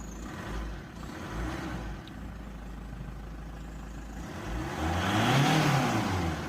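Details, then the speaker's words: Opel Zafira A, Y20DTH diesel: after reflashing to clear P0400 EGR limp mode (wouldn't rev past 3000 rpm, turbo cutting out), with EGR and swirl-flap plugs removed, light clatter at idle then revs cleanly with no hesitation and no errors; normal revving. "газується отлично, помилок немає."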